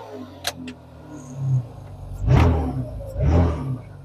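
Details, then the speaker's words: Nissan V6 3000-series engine with 219,000 miles loaded with torque. It rises in two short bursts, each with a heavy low thump, as a broken motor mount lets the engine slam into the firewall. "ooh one of the motor mounts is definitely broke you can feel the motor slamming into the firewall with torque on it there"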